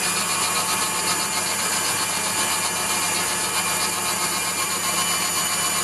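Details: Waldown/Dumore tool post grinder on a lathe internally grinding a bronze bush: steady high hiss of the small wheel in the bore with faint uneven rub; contact heavier at one tight end, wheel set by sound to just kiss.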